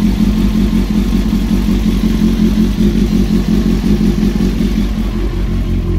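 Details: Honda CBR954 at idle before a new cam chain is installed: a light metallic clatter rides over a steady idle, the rattle of a worn, loose cam chain.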